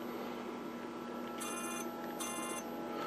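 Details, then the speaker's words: GE 21C3461 TV set under restoration, volume button pressed: two short, harsh buzzes over a steady hum as the reed relay (second from right) vibrates without tripping; coil has continuity but does not get the roughly 10 V it should: relay buzzing without switching. "that is the actual read relay second from the right vibrating but it's not tripping the [Music] relay"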